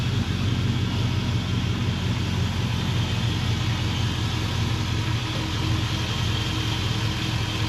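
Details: Junk 5.3 LS V8 revived for a C10 truck that had dropped cylinders, now on replacement spark plugs with fuel pressure checked: a steady low rumble at an even idle with no knocks, ticks or misfires; normal idle.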